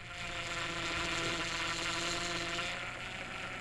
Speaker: another cause of pump grown is a loose mounting bracket torque the pump mounting bolts to specification